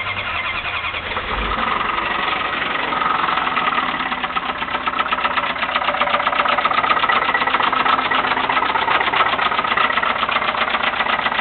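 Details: 1989 Dodge truck 318 V8 with high mileage, after start-up: loud, steady tapping knock over the idle about four per second; heavy internal engine knock, cause unknown.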